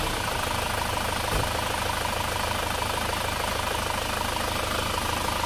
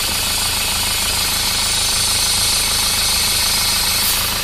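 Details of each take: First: Isuzu Panther diesel idling after the clogged PCV valve was repaired: steady even clatter, hiss from the PCV outlet and pressure at the oil filler cap gone, sound back to normal. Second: Isuzu Panther diesel idling: loud steady hiss of high-pressure air blowing from the dipstick tube, excessive crankcase pressure caused by a clogged PCV valve in the valve cover.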